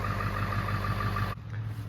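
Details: 2001 Ford F250 Super Duty 7.3 Powerstroke diesel warming up on a 60-degree day: even, deep idle with a steady beat, no knocks or misses; normal healthy idle.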